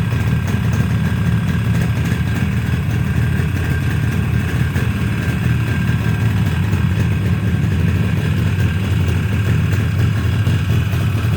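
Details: Yamaha RD350 two-stroke, first start after rebuild: even, deep burble holding steady with no knocks or rattles; engine runs cleanly.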